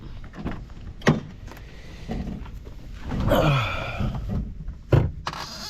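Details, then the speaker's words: Honda S2000 clutch pedal squeaks with a wavering creaky squeal when engaged, from a dry slave cylinder pushrod; fixed with 800-grit sandpaper and urea grease. "Well guys, today is finally the day I fix my squeaky clutch. As you could hear in the videos, my clutch is super squeaky."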